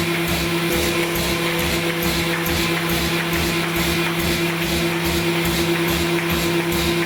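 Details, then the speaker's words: AccuCreaser air-fed register guide running with short sheets (under 250 mm), pump starting with the run button: steady vacuum hum with even, regular feed thumps a bit over twice a second; cycling cleanly, normal running. "This machine will turn on. There is no pump button. It will turn on immediately as soon as you push the run button, and then feed."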